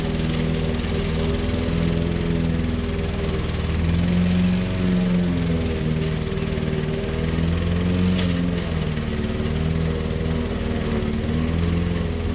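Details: Old Toro lawnmower that sat for years, mowing grass. A steady low drone dips slightly and recovers as it bites in, with no misfires. The owner suspects a sticking, fuel-dripping float. Normal running under load.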